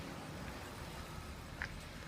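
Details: 2000 BMW 528i E39 after erasing codes (cylinder 2 misfire, P0340), outdoors: even, steady low rumble with no stumbles or skipped beats; idles smoothly.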